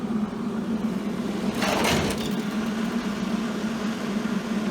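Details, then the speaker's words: Millermatic 141 welder cooling fan after shimming and bending the vents to blow downward. A steady hum with a faint buzzing vibration remains; the fan still vibrates, only slightly improved. "I took some pliers to the cooling vents kind of opened them up a little better had them blowing downward I think this shim work is going to do it may break free over time sounds a little better but not much just a tad bit"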